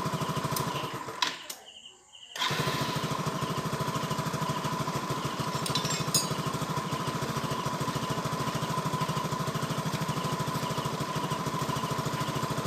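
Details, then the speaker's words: Yamaha Nouvo LC scooter after repair of stalling and hesitation. After a brief start-up dip it settles into a quick, even single-cylinder beat with no stumbling; starts and runs smoothly. "như vậy là xe đã đấu khởi động lên được rồi và tiếng nổ nghe rất chi là êm"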